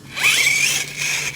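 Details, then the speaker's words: Axial Ryft RC crawler with Hobbywing AXE 3300 R2 system and low gear fitted: a high whine rises sharply as the motor spins up, then holds; owner suspects a damaged spur gear. "oh jeez i'm gonna order a new spur gear for this thing maybe i've got a damaged one or something i don't know"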